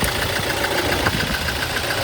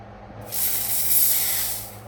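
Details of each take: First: 2018 Toyota Hilux diesel idling with a clattery, slightly uneven rhythm; code P0301, cylinder 1 misfire, traced to the number one injector, which was tested and serviced. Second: Toyota Hilux 2018 diesel with code P0301, cylinder 1 misfire: on test, the injector gives a crisp, even hiss of fine spray for about 1.5 seconds with no spitting; it is spraying properly.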